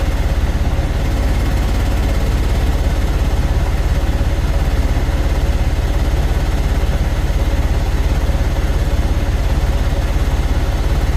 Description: IN THE CASE OF THIS CUMMINS ISX15 ENGINE THERE WAS A MISSFIRE ON THE 3 REAR CYLINDER, COMPRESSION WAS LEAKING STRAIGHT OUT AND THIS PROBLEM WAS CAUSED BY A DAMAGE CYLINDER HEAD.